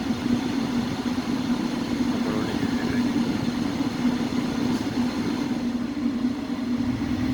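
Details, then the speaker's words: Ford Focus 2 restyling, 2008: heater blower motor after cleaning and lubrication with WD-40 for a whistle/squeak. A smooth, even whirring hum at higher speed with no squeaks or whistles; normal blower fan. "проверяем включаем тишина скрипов нет свисток нет работает ровно добавляем обороты"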